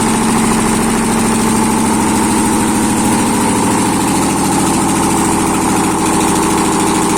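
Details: ZMZ-511 V8 started after a major overhaul, exhaust present: steady, even idle with a smooth constant hum and no knocks or misses; normal idle.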